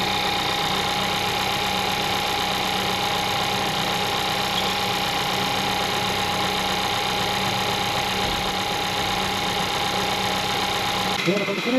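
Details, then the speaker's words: 2012 VW Golf Convertible 1.2L petrol, 100,000 km, after water pump replacement for an annoying engine-bay noise: smooth steady idle with even hum, no whine, chirp or rattle, no leaks; repaired. "So I fill up the coolant res and there is no leakage, no harsh noise from the water pump and the car is back on the road."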